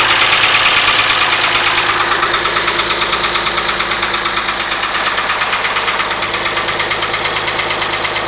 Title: Mazda Mx-6 KLZE Knocking sound